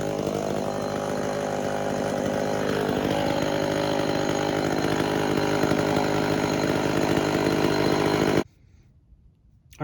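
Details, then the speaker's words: Early-1970s Remington SL11 chainsaw with cleaned and set points and adjusted carburetor, run after choke start: steady, even two-stroke buzz at constant revs for about eight seconds before shutoff; running normally, seemingly no carburetor adjustment needed. "it for a bit and it really doesn't seem like it needs a carburetor adjustment"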